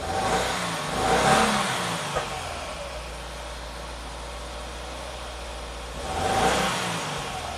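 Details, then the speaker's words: 2020 Subaru WRX turbo petrol idling with an uneven, stumbling beat and brief rev swells: a pretty constant misfire with a blinking check engine light persists after clearing codes and fixing a lean condition; the owner had recently changed the spark plugs. "Let's fire it up. Okay, so it's still definitely has a misfire."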